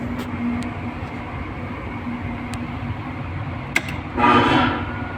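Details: 11 kW air handling unit blower motor after replacing the defective soft starter, run with belt fitted: steady low hum with even rush of air, no knocking, rubbing or grinding; running smoothly.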